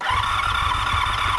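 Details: 1985 Honda VF700 Interceptor V4, unrun for an unknown time: an even, quick starter churn with a whirring motor and no cylinders catching; crank-no-start, owner suspects empty float bowls and gummed ethanol fuel, oil light and tachometer working.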